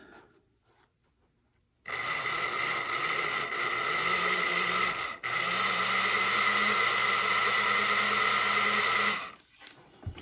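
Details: Classic model steam locomotive after repair and oiling its end shafts, final test run: smooth, even high-pitched motor whir with a steady tone, no stutter or grinding; running cleanly.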